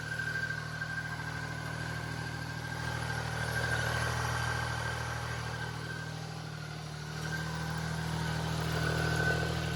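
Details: Bike started after sitting about 6 months. Steady, even idle with a smooth low rumble and no knocks or misses; sounds good, but it smells awful.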